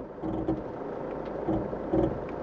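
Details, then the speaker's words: Toyota Land Cruiser 150 3.0 D-4D, permanent 4WD, in Drive with crawl control engaged at a low selected speed; quiet low-speed crawl with soft evenly spaced pulsing whirs as brakes are metered. Normal crawl control operation. "Deci eu o să introduc în drive, apăs crawl control, selectez o viteză mică și iată cum face mașina."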